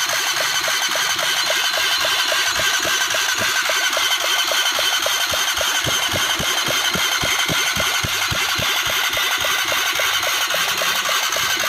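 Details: Honda CBR 150, engine previously fully seized, now reassembled with timing set: crisp, even firing beat holds steady with light top-end clatter, no knocks or misses; rebuilt engine running smoothly.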